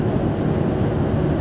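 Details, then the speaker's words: Ford Taurus/Mercury Sable over 20 years old, 10-15 minute test drive after replacing the original lower ball joint: steady low road rumble at cruise, no roar, clunk or grinding; quieter, steering better, sounds normal, pretty much fixed. "cars A lot quieter it's steering a lot better so that I run I guess for about 10-15 minutes right now so everything pretty much sounds normal"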